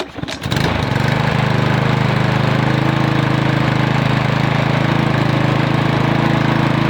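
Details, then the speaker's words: Briggs & Stratton 8.50 OHV lawn mower engine, previously hard to start after hitting a rock or stump, after the flywheel-magneto air gap was reset. It catches within a second and runs smoothly with no knocks or misses, and no internal damage was found. "Alright, that does sound pretty good. I'm really happy with that."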